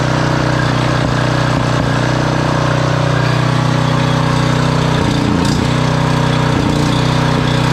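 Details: Generac 5000 W generator, Briggs & Stratton 10 hp single-cylinder, sat for years, wire refitted: steady, even drone holding constant speed without hunting or misfiring; runs healthy.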